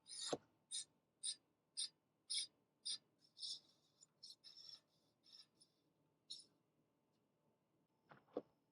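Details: Aipas M1 Xterrain ST e-bike during assembly, front wheel spun: regular high scraping swish about twice a second that fades and stops as the brake caliper bottom is loosened and shifted to eliminate disc rubbing.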